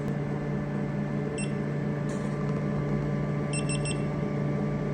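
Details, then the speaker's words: Imported tattoo-removal laser machine after replacing the broken xenon lamp in the handpiece: fans and water pump hum, one beep then a quick triple beep, simmer failure code 04 still shown. "04, simmer failure. So the machine is still putting that simmer code."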